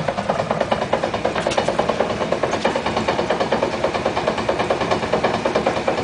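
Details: 1956 Chrysler New Yorker idling in neutral with all four wheels off the ground: steady, fast dong-dong knock from the drivetrain, felt in the floor, stopping when the handbrake or brake pedal is applied.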